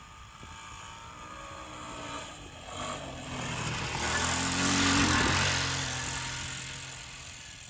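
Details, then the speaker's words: 1984 Honda ATC 200M single-cylinder three-wheeler, barn find stored 30 years, running after parts replacement and repairs, being ridden. Buzz rises and falls smoothly with throttle, no misses or knocks over wind; normal engine running. "He runs like a charm. Better than a John Deere."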